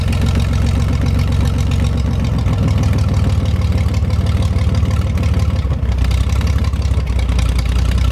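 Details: 1973 GMC 432ci V6 engine, out of a parted-out truck and sitting unstarted since early 2019 (almost five years), run after light prep: deep, steady V6 idle with a light throttle blip, even firing, no knocks or rattles; normal idle, healthy engine.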